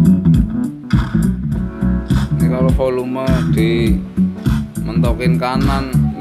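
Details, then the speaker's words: Politron active speaker amplifier after replacing one failed TIP41 transistor that caused distorted sound: music clean and full, clear bass and guitar, no crackle; normal output after repair. "Iramanya, iramanya sudah normal sekarang, iramanya. Wow, itu keren sekali, teman-teman. Sekarang ini sudah normal, teman-teman."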